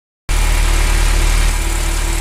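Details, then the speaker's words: Ferrari V8 idling after misfire fix with new sensors for cylinders 1-4 and 5-8: steady, even low rumble with no stumbles; fan belt currently loose. "okay gents it's all working nicely now"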